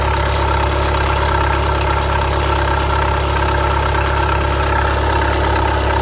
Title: Golf 7 Quietschgeräusche bei geöffneten Rad Kasten